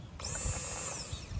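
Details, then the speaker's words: Fuel pump motor bench-tested by applying power directly to its terminals: brief thin, steady high whine for about a second, then winds down, motor running freely and spraying fuel; normal pump operation, though the pump was very dirty inside. "Pindutin natin. Okay? Yan na nag-spray yung fuel nyo."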